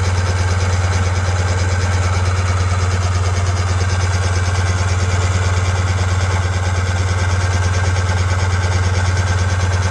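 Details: 2000 Sea-Doo GTX 787cc RFI, hydrolocked after storage with bad inner seals: steady even cranking churn, about three turns a second, no catch, spinning fuel and oil out of flooded cylinders through discharge hoses with oil intake line shut off.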